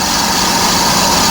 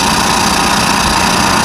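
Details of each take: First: Trailer electric brake drum on a lathe, cutting into original metal: constant, even high hiss with no rise-and-fall or chatter, showing the drum turning true and cutting evenly. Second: Trailer electric brake drum being resurfaced on a lathe: loud metallic cutting roar with uneven pulsing chatter, about a hundred a minute, as the tool crosses the area by the lugs; interrupted cut.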